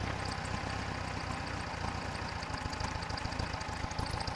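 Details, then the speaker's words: Air-cooled VW with a vacuum leak at the intake manifold boots: it accelerates fine, then stumbles to an uneven, loping idle with irregular low thumps when returning to idle, confirmed with a starter fluid test. "This thing accelerates just fine, right? But when it returns down to idle, it's going to stumble and have some issues."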